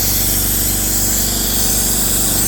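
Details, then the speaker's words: AEG 60 L silenced air compressor running: steady pumping chug with constant sharp hiss of air escaping from under the pressure switch, stops when off; caused by faulty unloader valve on exhaust line, replaced. "right over here right over here there is air that's escaping as the compressor is pumping air into the tank air is constantly escaping here"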